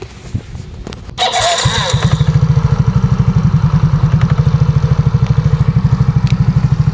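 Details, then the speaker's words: Scooter with new belt, rollers and sliders, lining slipping on take-off: fires up into a quick, even single-cylinder idle with two knocks from the CVT side. "Yan, may kumalatok 2 beses. Yun po yung ingay dito sa sa panggilid."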